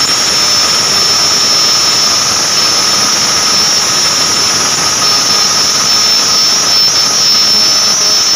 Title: Abnormal sound coming form ac fan belt